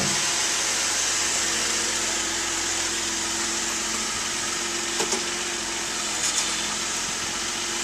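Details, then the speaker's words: 2010 Mazda CX-9 pulling out of the driveway at low speed, hum with sharp isolated front-end clicks about a second apart; source not yet identified. "we're trying to document these noises that are coming out of my wife's CX-9. So here we go. We're pulling out of the driveway. There's one click."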